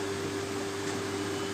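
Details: Electric water pump motor that sat unused, after cleaning, rewiring and freeing a jammed rotor by hand: steady, even mid-pitched hum with no scraping or knocking, amperage measured about 1.5 A and fine; running freely.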